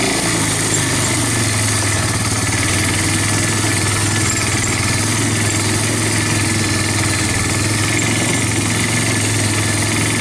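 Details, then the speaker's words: Yamaha Bear Tracker 250 (YTM250) shaft-drive ATV with new carburetor and intake, on its first trail ride at steady throttle; constant, even single-cylinder drone with no knocks, rattles or stumbles, owner hears no bad noises, normal running. "anyway obviously this thing is running sounds good I don't have any any bad noises"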